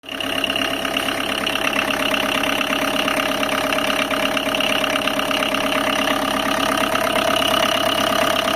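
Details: Tata Indica engine at idle: rapid, fairly even metallic chatter over the engine hum; abnormal noise, cause not identified; engine noise.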